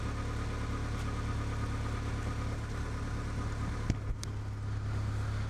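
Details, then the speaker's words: Honda Integra DC2 with new Tanabe Hyper Medallion exhaust, joints sealed with no leaks, warming up: deep even note, steady low hum, solid not raspy, no hiss or ticking; healthy exhaust. "how good does that sound it's not like an obnoxious sound at all it's like a just like a really solid sound if that makes sense like not raspy"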